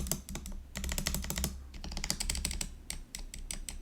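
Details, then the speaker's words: GoPolar TKL budget keyboard with PC plate during silent conversion, tape already around the plate: uneven key presses with a loose, hollow rattle from the Enter key stabilizer; stabilizer wires on space, Enter and right Shift need removing and balancing. "but even with that we we still heard some rattle earlier so what I think I need to do is I have to remove all the switches and then remove the the wire and try to balance it because that's pretty bad the way it was"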